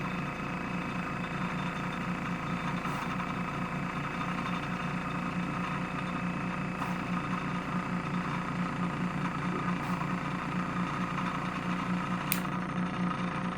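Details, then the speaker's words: Pulse motor with a 9-magnet, 8-inch rotor and a 24 V dual SSG, one coil upgraded from 20 to 16 gauge, run from a power supply at about 2700 rpm. Fast, even squeaky ticking chirp from the coil over a steady hum: running normally at speed. "I just love how, like, squeaky the 26 gauge or the 16 gauge coil is."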